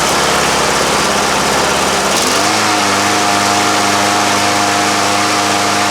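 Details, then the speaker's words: Free walk-behind lawn mower, spark plug reused, a little gas added and primed a few times: catches at about two seconds and settles straight into a steady, even drone with no misses or hunting; needed no repair. "that's too easy now it wasn't even a project didn't have to fix anything on it"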